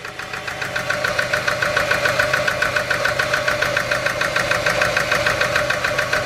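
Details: $300 SN95 Mustang worn-out V6, restarted: uneven idle with steady light tapping about three times a second over the exhaust note; running rougher than before, cause unknown.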